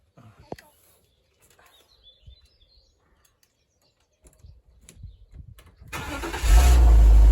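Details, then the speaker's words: 2001 BMW E46 320Ci coupe, 21 years old, under 46,000 miles, first start after about 11 months in storage with the battery refitted: one short crank, it catches at once and settles into a strong steady idle; started perfectly. "Oh, how about that? First time. And she sounds beautiful, hasn't missed a beat. Not bad for a 21-year-old car. Started perfectly."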